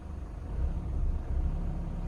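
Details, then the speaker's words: Toyota Innova diesel after engine mount and gearbox mount replacement, idling with handbrake on: steady low rumble settling at 800–850 rpm, easing up toward 1100 rpm with no hum or shudder, indicating healthy mounts and normal idle. "എന്നിട്ട് ഇപ്പോൾ RPM കണ്ടോ, RPM correct 800-ൽ വന്ന് നിൽക്കുന്നുണ്ട്, 800-850-ൽ വന്ന് നിൽക്കുന്നുണ്ട്."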